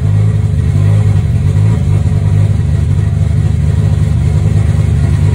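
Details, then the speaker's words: Turbo BMW 325i E36 on a Megasquirt injection map, first start after engine work: steady, fast engine drone with a deep low throb, idling high and very rich just after a cold start; owner suspects cold-start enrichment. MAP sensor and rpm reading work. "On peut voir que c'est méga riche, à cause de l'enrichissement à froid je pense."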